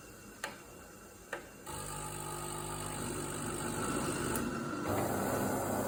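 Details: DeLonghi ECAM 23.266.B coffee machine while drawing milk or flushing the milk tank: two sharp clicks, then a rough buzzing rattle that keeps going and grows louder; abnormal noise, cause unclear.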